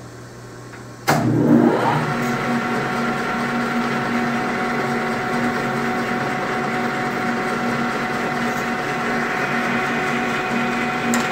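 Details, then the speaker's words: Lathe turning a thin workpiece without a center rest, 0.100-inch cut: loud steady ringing buzz of heavy chatter as the unsupported workpiece flexes. "t wants to chatter that's why i wanted to put the center rest but at this point i don't even think i'd have enough clearance"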